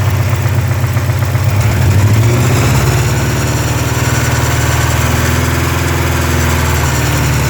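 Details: 1984 Porsche 944 2.5L SOHC inline-four, recent rebuild by previous owner, idling with rapid low knock below cam tower; absent first minutes cold, loudest 2000-3000 rpm, vanishes with #3 plug wire pulled; lifter tick or rod knock suspected, not pre-ignition.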